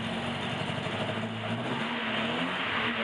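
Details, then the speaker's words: 1976 Alfa Romeo Spider, twin carburettors, just after cold start, full choke with slight throttle; settling into steadier even beat as all four cylinders fire cleanly; normal cold-start running. "Now we're running on 4 cylinders. Can you hear it?"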